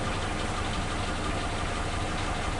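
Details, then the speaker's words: Suzuki Katana car after fitting new spark plug wires: an even, steady exhaust beat at idle with stable rpm and no popping or missed beats. The earlier misfire is fixed. "Rata dia. Ketukannya atau suara mesinnya itu rata, tidak ada ledakan-ledakan kecil seperti di video sebelumnya."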